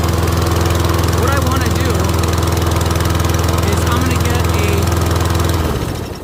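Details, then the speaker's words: Troy-Bilt rear-wheel-drive mower with Briggs & Stratton engine, cold start after ultrasonic carb cleaning, choke engaged: steady fast chugging beat, running cleanly while warming, then shut off; normal cold running on choke, possibly slight excess oil. "Can you hear the choke? It's engaged. As it warms up, we're leaking a little bit over here."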